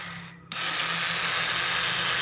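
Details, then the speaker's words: Honda Supra 125 starter motor spinning in reverse because the magnets were fitted backwards in its casing: sudden high-speed electric whir with no cranking beats underneath, the engine not turning; starter freewheeling. "Hai ini dinamo staternya terdengar berputar tapi tidak bisa menggerakkan mesin"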